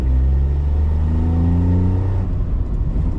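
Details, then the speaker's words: Written-off VW Polo before repair: loud, rough low rumble with raspy chuffing under revs, pretty noisy; exhaust blow. "Hear that exhaust blow? It's pretty noisy."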